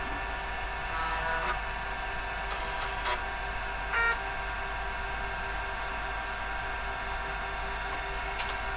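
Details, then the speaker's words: IBM AT vintage PC booting into BIOS setup: steady mechanical whine and hum of the hard disk spinning up to speed, one short beep partway; normal hard disk spin-up. "We'll boot this up. Go into the bias setup. You can hear the hard disk spinning up."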